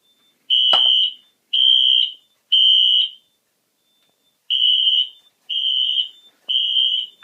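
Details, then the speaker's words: Newly built fire alarm system test with i8005 panel, set off on a smoke zone: loud piercing horn in three half-second blasts, a pause, then three more; temporal-three evacuation signal, full alarm. "so now let's do the moment that everybody was waiting for i'm gonna set the alarm off now do a little bit of this there we go"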